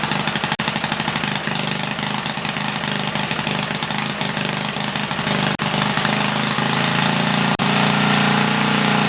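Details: 1976 Tilly rototiller, 3 hp Briggs & Stratton, carb ultrasonically cleaned, no muffler: loud, sharp, rapid, slightly uneven popping; running rich, main jet leaned out; it later cut out from lost spark.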